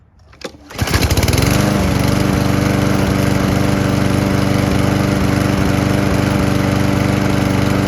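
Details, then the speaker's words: Lawn mower small engine running on isopropyl alcohol, camera beside the exhaust: it starts quickly and settles into an even buzz at steady speed with occasional tiny stumbles, running about 95% smoothly, with no smoke. "the only thing I can say is it doesn't run perfectly smoothly it runs like 95% smoothly there'll be like just a tiny hiccup here or there"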